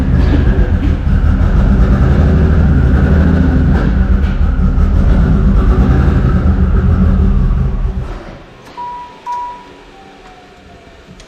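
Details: Toyota 2JZ inline-six pulsing heavily and lumpily, struggling to stay running with throttle held, then dying, rich black exhaust; multiple cylinder misfire, not running on all 6; intake manifold also found warped.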